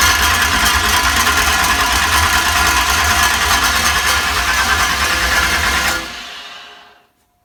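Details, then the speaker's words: Chevrolet ZZ383 crate engine on test stand in spare Nova clip, ignition not yet connected, checking starter and flywheel: strong steady cranking about three beats a second for six seconds; starter spins engine cleanly, oil and fuel pressure built. "let's roll her over let's let's see what that starter and flywheel combo sounds like"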